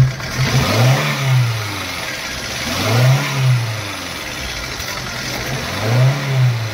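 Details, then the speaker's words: Hyundai i10 after tightening a loose engine/gearbox mount bolt that made the whole engine shake; mount still slightly weak. Three clean throttle blips from idle with smooth rise and fall and no clunk; only slight movement now. "गाड़ी start है friends actor देते हैं हका सा movement करेगा पहले जैसा नहीं"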